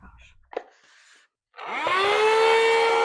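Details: Hand vacuum after repair: motor had died with a loud noise after a pebble was sucked in while run without its filter; rock and debris cleared, now spins up with rising whine to a steady even high hum, running healthy.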